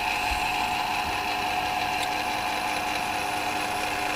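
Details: CDE/HyGain Ham2-4 antenna rotator just serviced (strip cleaned, glass bead blasted, motor start capacitor moved into rotator, automatic 3-second brake): even motor hum with steady gear whine while turning, no grinding, clicking or labouring; runs smoothly.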